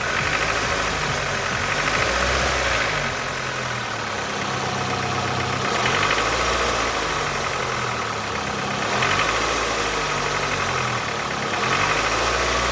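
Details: Nissan QG18DE engine with rapid metallic knocking riding on the engine note, quickening as revs rise and easing off; the source of the knock is unknown.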